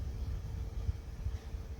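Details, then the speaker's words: PC airflow case fan of 63.5 CFM, probably sleeve or rifle bearing, ramped to about 1000 rpm blowing at the microphone: soft, even airflow hum with a faint thin whine on top, steady; not very loud, normal. "1000. Not very loud, not very irritating. At least, I mean, there's a bit of a whine to it, but it's not horrible."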